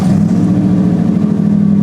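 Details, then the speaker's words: Cheap daily-driver challenge car after tune-up with new cap and rotor, plugs and wires; steady even idle hum with no stumbles or misfire, sounding good, maybe slightly improved; normal idle. "it all sounds good."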